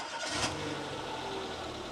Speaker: And we're back in the Nissan 100NX Memorial Garden, and the little Renault Clio is, well, as you can hear, it's ticking over nicely in the background.